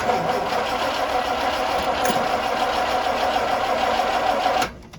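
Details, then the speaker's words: Truck with carburetor that stopped running; spark confirmed, fuel dripping from carburetor: steady starter cranking about five seconds that never catches; crank no start, owner assumes a flooding carburetor. "so the way you'll find out if you're flooding just walk away from this thing for about 15 or 20 minutes we'll come back and try to start it so it's clearly wet in there so i'm gonna assume it's a flooding carburetor"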